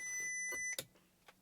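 Two bright electronic chimes ring out in a quiet cabin, then fade; that's the seat backrest not latched warning.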